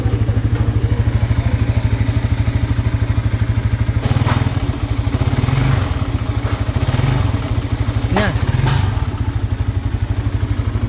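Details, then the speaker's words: Small single-cylinder motorcycle engine idling with a busy, uneven tapping knock, suspected piston slap possibly from the connecting rod; the head is noisy and the engine heats quickly. Cause is to be confirmed after teardown. "meron ping mo ping mo may parang piston slap"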